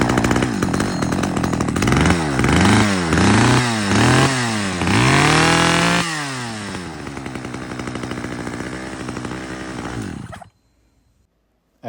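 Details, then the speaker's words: Stihl 011 AVT chainsaw on its first start attempt before tuning: the engine surges and sags about twice a second, then stumbles and dies. The carburetor mixture is out of adjustment; fixed by adjusting the low-speed fuel screw and idle. "you can hear, it definitely needed some tuning. So, I took it to the bench, adjusted the the low-speed fuel screw and the idle a little bit, and now just listen to this."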